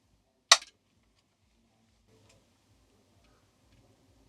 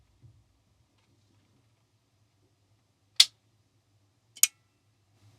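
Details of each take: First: Homemade soft-start circuit for a 1 kVA isolation transformer (NTC thermistor with RC-delayed relay bypass); a single sharp relay click right after switch-on; the intended 1-second delay isn't happening, relay pulls in too fast. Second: Soft-start circuit for a 1kVA isolation transformer (NTC thermistor with relay bypass, RC delay nominally about 1.8–2 s), microphone close to relay: crisp click then a second about a second later over faint hum; relay pulls in cleanly after delay.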